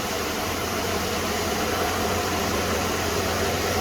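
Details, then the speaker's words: 1994 Ford F-150 XLT 302 V8 petrol, 57,500 original miles, idling smoothly and quietly with an even low rumble; a light exhaust leak is present that gets quieter as the truck warms up. "engine's nice and quiet let's go around you can hear the exhaust"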